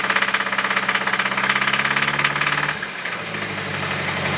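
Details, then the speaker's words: Nissan KA24DE engine idling with steady rapid knocking, roughly three per second, before dying down; suspected rod knock after oil starvation from an unnoticed high-pressure oil leak during summer autocross. "Not that it matters though, because my engine is knocking. So, yeah. That's what it sounds like."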